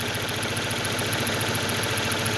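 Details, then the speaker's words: 2006 Ford Focus with shaking and hard starting despite new coil pack and plug wires; pushing on the broken coil pack wiring/connector: idle turns even and steady with no stumbles or shake; smooth idle, fault is bad wiring. "kita nyo, tumitining yung tunog, walang shaking."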